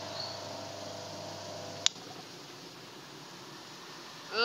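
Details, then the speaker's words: Refrigerator compressor tested with overload and PTC on 220 V: low hum under two seconds, sharp click, silence; current spikes very high, overload gets hot and trips, over 90% likely a shorted winding. "mutus lagi ini hidup ini ampernya mentok tinggi sekali kemudian langsung overload mutus jadi ini kalau ciri-ciri ini panas sekali ini overload panas sekali kemudian mutus"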